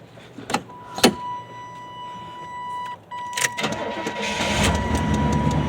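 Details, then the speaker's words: 1991 Chevy C1500 V8 first start after replacing water pump, thermostat, radiator cap, power steering pump, master cylinder, belt and tensioner, checking for leaks and temperature. Door chime, short crank, catches at once, smooth steady idle. Normal start. "so we're gonna jump in here start it up and we're gonna be looking for leaks making sure everything's lined up"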